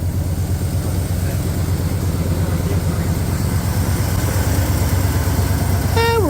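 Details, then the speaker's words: 1965 Ford Fairlane, cold engine, after turning the fast idle screw in and one more pump shot: steady, even low rumble at a settled idle of about 950 rpm with no misses or knocks; normal cold idle. "we just adjusted the fast idle screw in just a little bit more I gave it one more pump shot and that sounds a little better"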